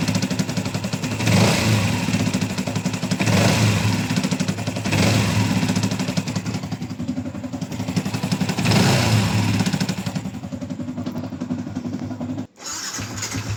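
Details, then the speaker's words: Yamaha Y16ZR motorcycle engine after overhaul, revving up and easing off: mostly smooth, but a faint uneven rattle remains around 2,000–3,000 rpm after throttle release; owner earlier had 6th-gear teeth and bearing problems; abnormal noise at mid rpm. "Dia ada sangkut dekat RPM 2 ke 3 ni, dia masih ada bunyi Yang lain semua ni okey, mantap. Dia semakin okey, tapi dia still ada macam bunyi lagi sikit."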